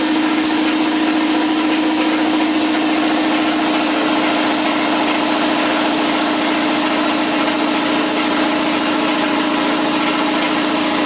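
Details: New Campbell Hausfeld 20-gallon twin-cylinder compressor during break-in with regulator off, tank filling toward 135 psi: smooth, even mid-pitched drone with no knocks or rattles. Normal compressor pump running.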